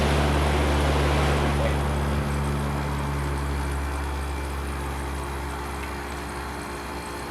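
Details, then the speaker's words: Kenmore AC, probably mid-1980s, R-22, fan switched off to hear the rotary compressor alone: steady low smooth hum, no knocks or rattles; the rotary compressor sounds good and the unit blows nice and cold. "bad sounding for a rotary. Actually, I like the way these rotary sounds."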